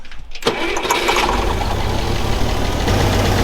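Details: Engine restarted with its spark plug wires loosened on purpose: catches and runs with a lumpy, uneven low thump instead of a smooth beat, consistent with cylinders not firing.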